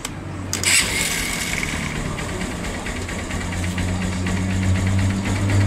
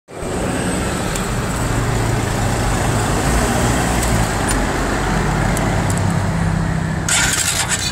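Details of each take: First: Single-cylinder motorcycle that was noisy, like metal knocking, when started cold; after decarbonizing and replacing the valve seals (tensioner had been replaced twice without help), it catches quickly and settles into a smooth, quiet idle with no knock or rattle. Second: A single-cylinder motorcycle engine on a cold first start knocks loudly and metallically, and the noise goes away once warm. Carbon buildup in the head is hitting the piston.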